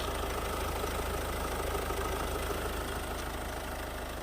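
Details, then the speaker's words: 2009 Ford Focus 1.6 diesel, 262,000 km, warmed to 90 °C, under open bonnet: quiet, even, steady idle clatter with no odd knocks or rattles; runs quietly and smoothly. "працює тихо рівно без посторонніх звуків"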